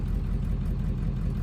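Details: OBS Ford 7.3L diesel truck at early-morning cold idle after installing rebuilt injectors: low, even clatter at a steady idle with no misses or stumbles, no smoke; running healthy, the injector job succeeded.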